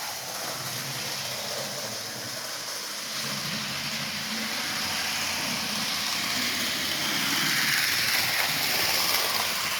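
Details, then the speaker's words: HO-scale 2-10-10-2 locomotive built from Rivarossi 0-8-0 chassis, first test run at full speed drawing just under half an amp: light regular ticking about four per second over running hiss from one driver wheel bouncing up and down. "yeah it's this um this wheel right here is bouncing up and down that's what's making The Tapp of noise"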